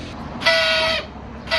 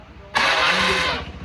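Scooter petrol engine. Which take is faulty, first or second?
first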